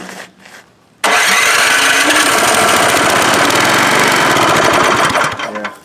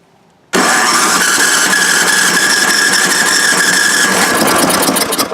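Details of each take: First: Donor MTD snowblower engine, thrown out but found working, pull-started before being moved onto the other machine: catches first pull, runs even and fast with steady chug, shuts off cleanly; engine works. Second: Junked MTD snowblower engine, reportedly blown but said to start on electric, cranked with electric starter after starting fluid: quick light cranking about four turns a second that never catches, spinning freely, suggesting little compression.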